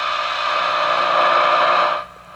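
Steady hiss from the speaker that grows a little louder, then cuts off sharply: a receiver passing clean noise with volume raised, working fine.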